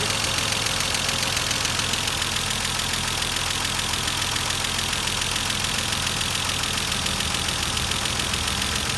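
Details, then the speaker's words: Mercedes-Benz W124 just after cylinder head reinstalled, first idle: fast, even light ticking over the idle, a rough top-end clatter because the hydraulic adjusters have not yet filled with oil; lifter tick after rebuild, expected to self-adjust. "Berlahan-lahan nantinya apabila adjuster terisi dengan penuh atau terisi dengan oli, dengan sendirinya adjuster akan secara otomatis akan menyeting sendiri."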